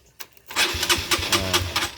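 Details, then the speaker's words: Supra GTR 150 motorcycle: starter whirs in and cranks by itself in quick uneven pulses and won't stop even with ignition switched off; starter relay contacts stuck closed. "Untuk motor ini dia starter sendiri, nggak berhenti walaupun kontak sudah di kondisi atau di posisi off ya."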